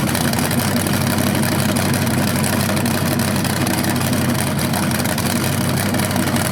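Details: First run of a BluePrint 396 big-block crate engine outdoors for a 1970 Camaro SS, with headers, oil primed and timing checked: loud, steady, even idle rumble with no knocks or ticks; sounded good, no leaks.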